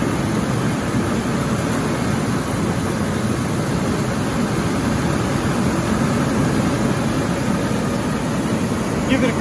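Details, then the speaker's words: 2001 Ford Ranger 4.0L V6, which had a P0304 code and a skip on acceleration, after front spark plug replacement: steady even idle with smooth low rumble, no stumble or skip; sounds fine. "ribs just a little so that sounds fine to me"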